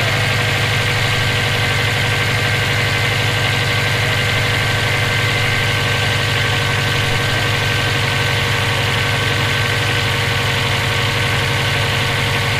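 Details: EJ257 flat-four knocking at idle for about 17k miles since purchase; fast, somewhat uneven tapping, about four per second, over the exhaust. Owner suspects rod knock, spun bearing or valve lash needing adjustment; cause unknown.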